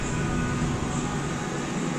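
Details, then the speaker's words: Steady low roar with rumbling undertone while driving, mistakable for wheel bearing noise, caused by an out-of-round tire with lumps on the inner back side; fix is replacing the tire. "so when you spin it fast and put your hand there you can feel the lumps in the tire like I said it's a common mistake a lot of people make it"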